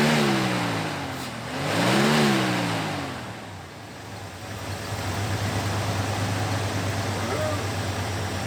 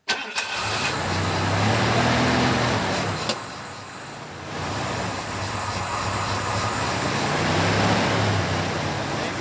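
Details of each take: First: 1991 Ford Bronco, first start after sitting two years with old fuel, new fuel pump fitted (35 psi), starter jumped: engine revs up and falls back cleanly twice, then settles to a smooth steady idle; runs healthy. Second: 1991 Ford Bronco that sat about 2 years with old fuel: the engine catches, then runs unevenly, sagging and surging until it starves and dies. Fuel pressure reads only about 10 psi against the 30 needed, a sign of a failing fuel pump, which is replaced.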